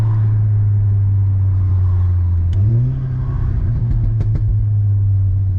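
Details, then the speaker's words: 2016 VW Golf R, about 420 hp, after replacing original plugs (number four ceramic broken, caused misfire): road test at 36 psi boost, strong smooth pull, clean gear change, no popping or stutter. "see what she's like man 36 psi that's got some boost that's pretty quick"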